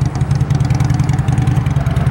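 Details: 2009 Honda CBR600RR sportbike, exhaust under the seat: steady, even low burble with a quick regular pulse and no knocks or rattles; inline-four idling smoothly, normal idle.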